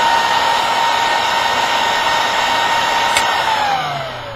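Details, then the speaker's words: Industrial fan, 65 CFM, 10,000 rpm, in Gecko G540 CNC control box: loud steady high-pitched rush, pitch sliding down as it spins off; loud by design, healthy. "I get questions on that why is it so loud it's moving a lot of air in a very very small format that Pam runs at 10,000 rpm"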